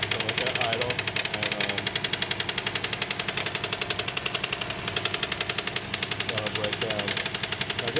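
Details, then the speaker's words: Kia Sedona van at idle after engine flush, oil pressure light on: fast, even bright metallic ticking rattle a bit over two per second, slack timing chain slapping because of low oil pressure at the tensioner. "so what's happening is when you start this thing up and there's not enough oil pressure on the tensioner it has a little slack in the chain that slack will cause that chain to slap on the timing chain"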